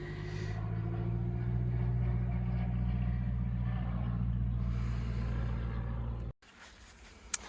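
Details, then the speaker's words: Cold-day cranking of a 1988 Mercedes 190E W201 after its valve stem seals were replaced: steady starter churning for six seconds, but it never catches. The owner later suspects an empty fuel tank; a manifold pipe had also been left off. "Okay, I'm not sure what is going on here. I got no starting."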